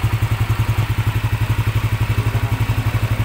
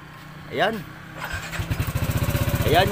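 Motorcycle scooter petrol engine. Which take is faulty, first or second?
second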